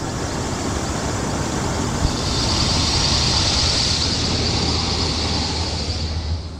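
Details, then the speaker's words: 1979 Ford Pathfinder Quadravan 4x4 V8 after repair work, no leaks, still due a tune-up with suspected vacuum leaks: steady, even idle rumble with no knocks or misses; a healthy idle. "All that hard work paid off. Motor sounds good too. Not leaking."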